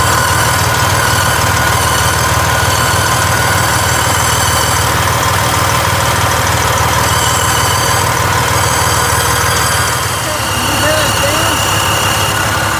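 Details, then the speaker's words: 2007 Freightliner Columbia, 14-liter Detroit Series 60 diesel: loud running with harsh hissy puffing over the engine beat, very loud whenever the turbo engages while driving; exhaust leak at turbo manifold gasket. "yes I'm pressing down on the tube and it's making that horrible sound but when I'm driving it down the road every time the turbo engages you hear that very very loud"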